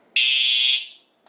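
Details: Simplex 4100U fire alarm system in horns-only mode (speaker circuit disabled), activated from a 2099-9103 pull station: one loud shrill horn blast of about two-thirds of a second, then silence as it is silenced; horn sounding properly.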